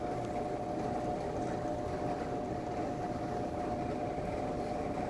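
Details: Vintage Sears Homart belt-drive window fan, 1/6 HP Craftsman motor, on low speed: steady whooshing air with faint constant hum, no ticking, rubbing or squeal; runs smoothly.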